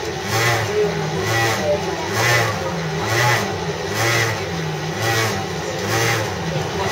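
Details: CityRail Mortdale S-set (S18) train, heard riding in the 3rd carriage, 2012: low lumpy drone pulsing about once a second, like a stalling motorbike engine; abnormal noise.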